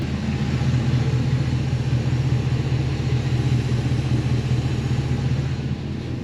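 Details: 1955 Chevy truck with an LS swap, first run after 10 years, coolant around 185 °F: deep, smooth V8 burble with a steady low rumble. An earlier lifter tick is gone and oil pressure is good: healthy idle.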